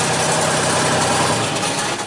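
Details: 2001 Genie S-40 diesel boom lift at construction site: engine starts, runs smoothly about two seconds, then dies abruptly; starts then stalls.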